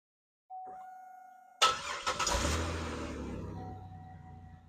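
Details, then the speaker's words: Buick LeSabre after a rusted exhaust leak was repaired with JB Weld muffler seal. A chime, then it cranks and settles into an even, quieter idle with no exhaust ticking or puffing and no leaks. "All right, guys. Uh, no leaks anywhere around here."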